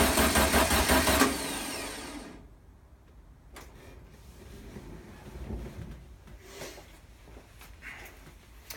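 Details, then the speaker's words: 1973 VW Super Beetle after engine overhaul, sluggish cranking about two seconds without firing, battery seems low; owner suspects fuel delivery problem; crank no start. "the good news is the engine is trying to start I do have fuel delivery problem i'll try to troubleshoot it"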